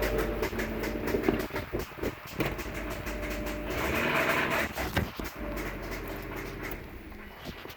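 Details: 2002 Subaru WRX petrol engine running: sharp ticks repeating over its low rumble, roughly two to three a second; ticking noise.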